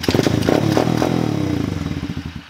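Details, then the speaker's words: Kick-start dirt/pit bike, started cold with choke closed and a little throttle: engine catches, runs briefly, then beats slow and fade until it dies within about three seconds; idle speed is set too low. "then it dies because the idles matter so if we open up the choke we're not gonna have to gas it"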